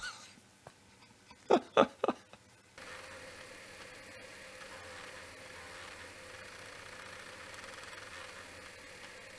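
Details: Apple //c floppy drive after fixing a wrongly installed spring: a soft, steady whir with faint even ticking and no harsh rattle; drive now works perfectly and is much quieter than before, sounding like new.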